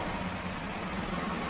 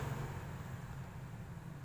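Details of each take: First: Maspion standing fan that was seized and only hummed, after freeing and servicing the motor: steady low hum under even airy whoosh, no scraping or stalling; motor spins freely and sounds healthy. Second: Maspion standing fan seized solid, shaft too jammed to turn by hand and dirty; motor gives a steady low electrical hum with no blade whoosh, stalled on the jammed shaft.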